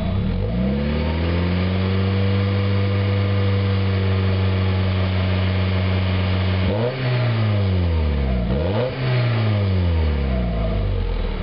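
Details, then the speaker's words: 1991 Mazda Miata after fitting a new catalytic converter, no flange leaks, warming up: smooth steady idle, then quick clean blips rising and falling freely with no rattle or leak; sounds much better, power restored. "Actually sounds a lot better. Revs up a lot faster."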